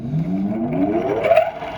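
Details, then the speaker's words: Old Soviet single-phase bench grinder motor with a new 10 µF run capacitor and new grinding wheels: smooth whir climbing steadily in pitch, no wobble or rubbing; runs normally but spins in reverse until the capacitor and mains leads are swapped. "Двигатель вращается в обратную сторону, а мне надо точить, чтобы он вращался на меня."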